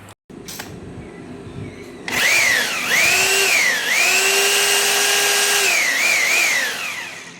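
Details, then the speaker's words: Bosch GBH 2-26 DFR rotary hammer drill after repair (came in not powering on; gears cleaned): spins up to a clean steady high whine, eases off smoothly, no grinding or rattle; normal running in all modes. "ตัวเครื่องก็สามารถกลับมาใช้งานได้เหมือนเดิมเลยนะครับแล้วก็สามารถใช้งานได้ทุกโหมดด้วยนะครับ"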